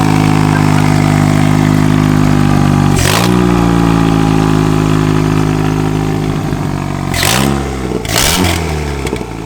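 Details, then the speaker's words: 2002 Mitsubishi Lancer (possibly CE) with a turbo conversion, revved after the install. A strong, even idle is broken by three quick blips with clean rise and fall, and no knocks or misses. It sounds healthy. "We're just gonna start this up again and give it a few more revs. Hopefully not annoy anyone, but I want you guys to be able to hear this. Sounds really good."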